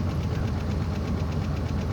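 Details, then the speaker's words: Pontiac Grand Prix GXP, cold start at about 0 degrees via remote start: fast ticking tap at idle that follows engine speed; owner suspects cold lifters sticking, happens only when cold and is getting worse. "That tap. Obviously the lifters are cold, they're getting stuck. That's causing that tap. It only happens when it's cold, and right now it's about 0 out, so of course it's going to be more pronounced."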